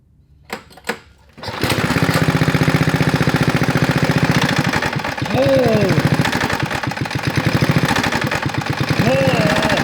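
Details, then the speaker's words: 1970s Trail Horse GTO mini bike with a Tecumseh HS50 engine, unrun for 20 years and freshly topped with motorcycle oil: a heavy, rapid clattering knock over uneven running, then it dies; engine knock. "it's making so much noise Charles moving oh where is he going oh and it died it just it doesn't like to run it doesn't like to run"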